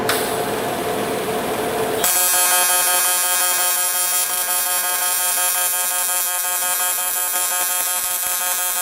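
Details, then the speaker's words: TIG welder in pulse mode on an uncleaned junkyard barrel part: a steady, high buzz with fine ringing tones runs evenly over a faint hum; normal pulse-mode TIG welding. "we're just going to it the buzzing that you hear that's uh that's welding in pulse mode"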